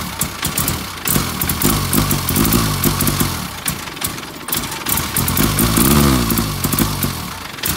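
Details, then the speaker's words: Austin Allegro after stalling on a drive: uneven stumbling running, surging and sagging with misses and crackles, only runs with throttle floored; spare coil fitted without improvement; sticking carburettor float needle suspected, cause undetermined. "right i'm gonna crank it over now and you'll see that in order to even try and get it ticking over i've got my foot hard to the floor sometimes it just will not run on"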